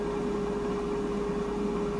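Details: Cosori air fryer near auto shut-off: steady airy whoosh with constant mid-pitched hum, no rattle or scraping; fan running normally.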